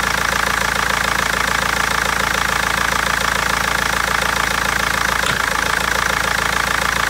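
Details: BMW 320d diesel with a sharp, even knock at about three and a half per second at idle and misfiring; injectors or tappet suspected, but garage and seller have not found the cause in over a month.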